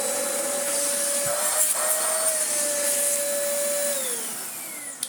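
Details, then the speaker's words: Used Dyson vacuum with a dirty filter, first power-on test: steady high motor whine with a clean, even pitch, then a smooth spin-down at switch-off; vacuum works very well. "Oh yeah, that works very well indeed. Very fun little vacuum this was."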